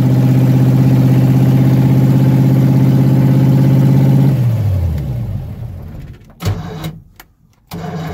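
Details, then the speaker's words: Solid-mounted car engine, no alternator, push-button start, electric choke not hooked up: fires and holds a steady fast idle well above normal, then shut off; high idle, owner suspects the unconnected choke. "I know the idle's up a bit too high. I'm pretty sure it has to do with the choke, because I don't have the electric choke hooked up."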